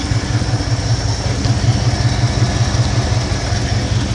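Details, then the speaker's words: 1971 Ford F100 302 small-block V8, carbureted, air breather removed, before mixture adjustment: low idle thump with a slightly uneven lope, running a tad rough; mixture suspected rich, not confirmed. "go in start your engine up glad you can tell my engines running just a tad rough"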